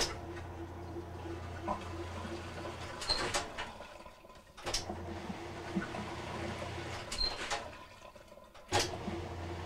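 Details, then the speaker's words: Kenmore/Whirlpool washer that would not spin or agitate, after replacing the motor coupler (285753A): low steady motor hum with water rushing through the pump, a very different sound, spinning and draining normally. "plug this back in and it's spin very different sound and you can open up the the lid to confirm that the basket is"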